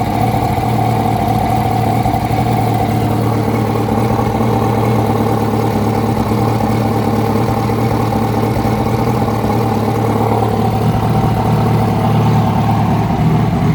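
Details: 2006 Yamaha R1 engine revving, with a rough irregular knock under the exhaust rising with revs; a new updated cam chain tensioner made no difference, and the noise was found to be the #4 rod bearing.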